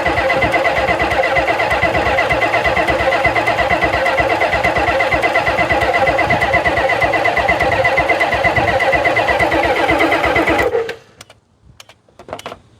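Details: 1991 Ford F350 dually, 7.3 IDI diesel, unrun since 2010, after draining water: even cranking about three pulses a second for ten seconds, no catch. Fuel in the rails; unexplained injector pump clicking; cause unconfirmed.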